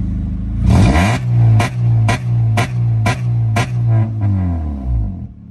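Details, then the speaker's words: 2008 Honda Civic with check engine light, in limp mode: revs rise then chop in and out about twice a second like a two-step, never passing about 3,500 rpm; cause unknown. "okay guys that sounds like a two-step but in reality it's really not the car is in limp mode and that's just how it is"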